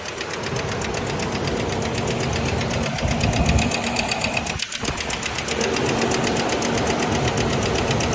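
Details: 2000 Ford Ranger XLT at steady idle with a sharp, regular knock, about four a second, riding over the engine. The knock began two days after a repair; its source is unknown.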